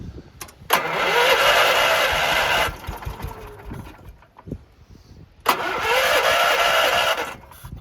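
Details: Deutz Allis 1914 tractor with original carb refitted and old bad fuel, carburetor cleaner sprayed in, someone on seat safety switch: two roughly two-second bursts of starter cranking with no firing; cranks but won't start.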